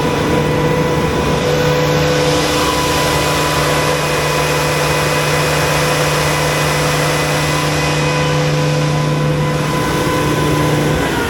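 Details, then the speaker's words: Generator engine running after coolant system overhaul: loud steady high-speed roar with fixed whining, screaming tone and no speed change; exhaust manifold leak, unit left down for repair. "but you guys hear that I can't leave it like that um I'm going to have to leave it as a red unit down for that manifold leak"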